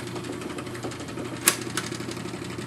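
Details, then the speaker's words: Wollensak 3M T-524 mono 4-speed reel-to-reel tape recorder, about 1963, first powered run during restoration. A steady motor hum with a dry, scratchy rattle and ticks through fast forward and rewind: dry mechanism that needs quite a bit of lubrication. "So now when I turn on the power here, you can hear, and it needs quite a bit of lubrication, goes into fast forward, goes into rewind,"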